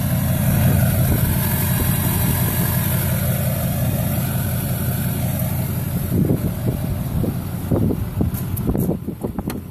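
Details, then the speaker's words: 2004 LLY Duramax diesel V8, smoking white at idle, running AC Delco injector cleaner mixed with diesel from a jug for over an hour: low, fairly even rumble, idling a lot smoother; PCV reroute, 3-inch downpipe, 5-inch exhaust. "I just bought some AC Delco uh injector cleaner hooked up the fuel lines to a little jug down there and it's uh so far sounds like it's idling a lot smoother"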